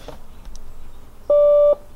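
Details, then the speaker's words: Car during battery relocation wiring, key in the ignition while testing wires with a multimeter. A single steady mid-pitched electronic tone lasting about half a second sounds: the key-in-ignition reminder chime, repeating. "Key is in the ignition. That's because I put it there. Key is in the ignition. This is going to get old."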